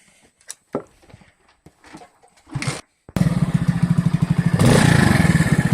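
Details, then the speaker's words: Moped engine after fixing a whistle caused by a damaged intake manifold gasket and stripped bolt, reinstalled with sealant: fires and settles into an even, steady putter with no whistle; running normally. "сорвали тут ну и на герметик посадили шайбу было убрали ну и все сейчас вроде с виду вроде как пропал"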